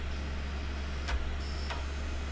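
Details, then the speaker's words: Optical drive reading a badly scratched CD before toothpaste polishing: a steady low hum broken by two sharp clunks about half a second apart. The drive is throwing read errors. "yeah so is getting read errors you can that mean weird clunking sounds coming from the drive as you might expect"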